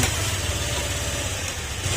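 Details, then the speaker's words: Honda Click125 scooter after engine overhaul for a cricket-like engine noise and oil consumption (Castrol oil): even, steady low putter at idle with no chirping or ticking; now quiet and healthy. "Pero tahimik na siya. Okay, tingnan natin."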